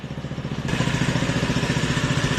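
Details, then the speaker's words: Doodle Bug with a spark issue, first run after an E3 spark plug was swapped for an NGK: small single fast, even chuffing at idle on choke, slightly lumpy and boggy; owner is nervous to turn the choke off; rough idle on choke. "I'm happy I can tell you that she seems a little boggy but I'm kind of nervous to turn the choke off"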